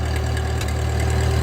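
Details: 1939 Ford 9N tractor idling after restart with hydraulic hitch raised; steady low thrum with even firing beat and faint pump hum, no misses or knocks, charging.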